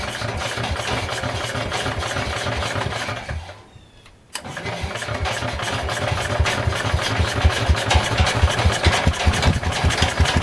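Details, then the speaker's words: Ford 100 garden tractor with a Kohler single-cylinder engine, after carburetor adjustment: steady, even thumping run after a brief stall and restart, with no misses or knocks; some carbon blew out of the exhaust at first start. "Well, this old Kohler runs pretty nice. I blew a little bit of carbon out of the exhaust when it first started, so I think a bunch of the stuff inside the engine loosened up and it got rid of it, so that was kind of nice."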